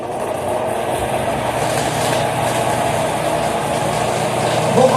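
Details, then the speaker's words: Fan motor spinning up with an uneven rattling knock about three or four per second, a week after its bushings were replaced with bearings; the shaft is loose in the bearing bore and knocks inside it, worst at startup. "Porque o eixo ou o rolamento, né, fica com um espaço entre o eixo e o centro do rolamento. Então o eixo fica batendo ali, solto dentro do rolamento,"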